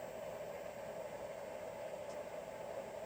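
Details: 24 V 5 A e-bike charger after oiling its fan, which squealed when cold at switch-on: soft steady airflow hiss with even tone, no squeal or rattle; fan runs smoothly.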